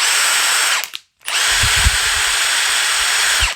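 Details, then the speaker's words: Milwaukee M18 FMTIWF12 1/2" impact wrench, power problem fixed by contact cleaner on the switch: two bursts of steady high-pitched motor whir with clean start and stop, even speed; running like brand new. "going like brand new and all it took was a little bit of contact spray"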